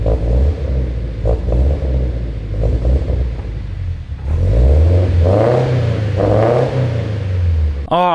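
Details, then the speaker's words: Scion FR-S with newly fitted turbo kit on the stock tune, cold start; idle hunts and stumbles, revs rise and fall with wavering pitch; runs rough, owner assumes because of the turbo on the stock tune. "it doesn't run all that good i'm assuming because obviously we threw a turbo kit on it i'm not expecting it to run good on the stock tune"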